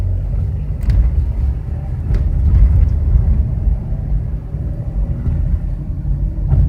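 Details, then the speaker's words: Chevrolet Impala while driving: deep steady droning hum from the front, rising with speed, loud around 30 mph, fading under braking; owner suspects a bad driver-side wheel bearing, unconfirmed. Droning hum while driving. "I'm not sure how good that humming comes up but I believe I have a bad wheel bearing I mean it's humming pretty loud and the noise kind of faster I go you know it goes with the wheel"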